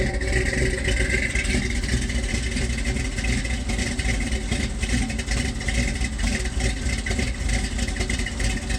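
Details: 1978 Ford F-150 4x4, 351M/400 with Edelbrock Performer intake, new Holley 4160 with electric choke, Hedman headers, Flowmaster duals, C6 auto: uneven, loping rich idle right after cold start because the choke releases too late; fixed by adjusting the choke to release sooner.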